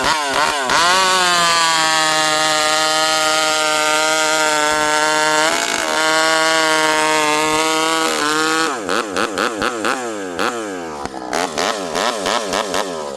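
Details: Rebuilt, ported vintage 064 chainsaw with new piston, clutch and replacement carburetor, 25-inch bar, cutting wood full throttle; clean high scream holds pitch buried in the cut, crisp revving between cuts, pulling hard and fast.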